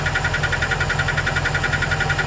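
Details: 2008 Chevrolet Express 2500 4.8L V8 at idle: fast, even light top-end ticking keeping time with engine speed, gone when RPM is raised; owner suspected a collapsed #8 lifter but is unsure, cause unconfirmed.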